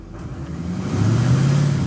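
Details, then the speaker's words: 2006 Ford F250 6.0 diesel that would only idle, after finding the shorted MAP sensor killing the 5-volt sensor supply: idles, then revs smoothly as throttle opens, no hesitation or bog, wrench light out. "yes sir that was the problem here we go i'm gonna hit it again and no wrench light"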